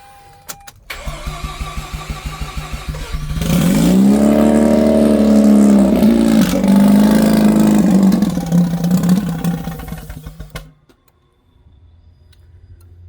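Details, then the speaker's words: Mazda RX-8 rotary with a tune, a bit low on fuel, after a no-start traced to a missing fuel pump fuse: short crank, then it catches cleanly, climbs smoothly, holds an even rev and shuts off. Normal start and rev. "So, it's a bit low on fuel, I think, but it's running all right."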